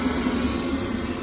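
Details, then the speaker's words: Baxi/Potterton Promax boiler with E133 fault (poor gas supply), valve recently replaced, relit after checking wiring to the board: steady, even burner roar holding without flicker or cut-out, then stopping cleanly; flame stays lit normally. "there you go this actually stayed lit and it's running well"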